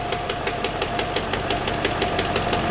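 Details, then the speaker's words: BMW E39 V8 running: sharp, even metallic clacking about six times a second from the front, much louder than before and worse in a certain rpm band under throttle. VANOS suspected, cause unconfirmed. "also das ist wirklich extrem und es ist viel lauter geworden als vorher"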